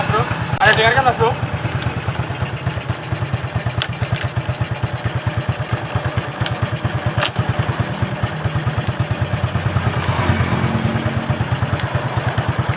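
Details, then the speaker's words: Shogun 125 motorcycle after electric start: a steady low idle thump with an irregular on-off rattle, worst at low revs; inconsistent, so not connecting-rod knock. "Namun, suaranya tidak teratur. Terkadang ada, terkadang tidak. Terkadang ada, terkadang tidak."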